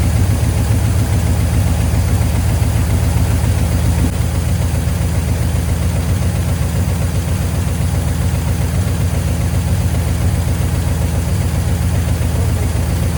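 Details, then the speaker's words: 1972 GMC C10 pickup, sat unused for years, running with fuel pump fed from a can of gas: deep, steady idle burble about 220 pulses a minute, even and unbroken; ran pretty good though very smoky. "Well, there you go. Ran pretty good, very smoky."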